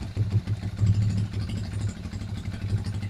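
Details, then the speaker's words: Euro Racing 110 motorcycle on a smaller capacitor only, park light, signal and mini driving lights on: low, slightly lumpy idle that keeps running without dying under electrical load; normal idle. "Mini driving light tayo. Naka-signal light ha. Mini driving light. Ayun siya kasaya no. Hindi namamatay."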